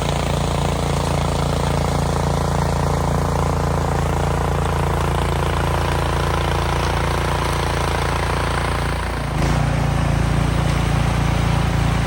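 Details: Cub Cadet 26-inch three-stage snowblower, about 8 years old, with a new belt, blowing snow at about -20: steady, busy engine drone as the auger churns, with a brief dip near the end; runs normally under load.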